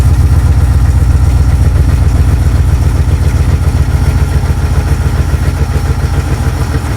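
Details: 1971 Pontiac Ventura Sprint V8: loud, lumpy idle, deep exhaust thumps about four per second, running on its own.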